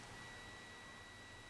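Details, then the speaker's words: 1959 Fender Princeton tube guitar amp on the bench during a scope checkout, fed a roughly 1-2 kHz test tone; a faint, pure, steady whistle over low hiss that stays clean and even, so the amp passes signal normally. "I'm going into it with about a kilohertz there. There's about 2 kilohertz."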